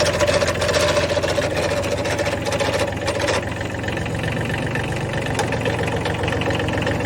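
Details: Kubota B7100 HST diesel tractor at idle: loose, uneven rattle of roughly three to four raps a second over the engine clatter; source not pinned down.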